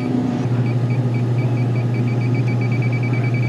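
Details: Grocery store refrigeration rack with deli, meat, dairy and beer cases running warm; 30-plus-year-old system being leak-checked at a case coil near the TXV: rapid high-pitched detector beeps, about four a second, over a steady low hum, refrigerant leak detected.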